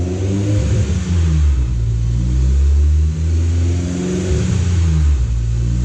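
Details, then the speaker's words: Honda S2000 with a supercharger (blower) making 407 whp, started from inside the car right after a Clutch Master FX350 clutch install replacing a failed Comp stage 2 bearing; deep full exhaust swells and settles smoothly on blips, no knocks or rattles: normal start and revving. "Start it up real quick. Beast mode. Sounds good, right?"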